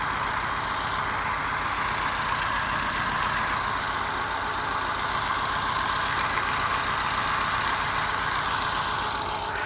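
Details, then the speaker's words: Moke engine bench-tested on a stand, compression tested excellent and no smoke: idle beat stumbling with uneven skipping pulses; missing on one cylinder, owner suspects carby mixture, valve ruled out by compression. "I've got a miss on one cylinder."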